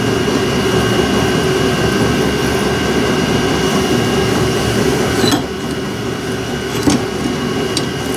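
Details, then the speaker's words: 12V electric trailer jack being run after rust and WD40: steady motor drone with rough scraping grind under load that eases partway, the jack screw cutting into and cleaning up its own damaged threads. "go sounds like it's cutting threads that's weird yeah I did kind of cut some shads there a bit"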